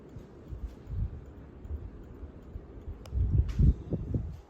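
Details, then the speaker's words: Craftmade Kinsman ceiling fan with a non-DC motor on medium speed: an uneven, dull low tapping rattle that comes and goes over quiet running; cause unknown. "now it does rattle when it's on medium like my mink a dino did at my old house you might be able to hear it rattles sometimes and sometimes it doesn't"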